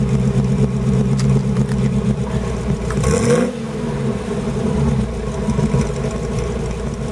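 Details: Old Holden Kingswood V8 (351 or 253 per description) on LPG on a freezing night, warmed up after a cold start; quick blip of revs then settles to a smooth, even low-rumble idle without stumbling; normal idle.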